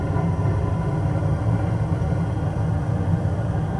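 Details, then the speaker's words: 90% Carrier gas furnace, after clearing a clogged condensate trap that made the pressure switch tick intermittently. On startup the pressure switch is now silent, the hot surface ignitor lights, and the burner settles into an even rumble with steady airflow. Normal operation. "right active pressure switch silent no clicking there's your hot surface beautiful"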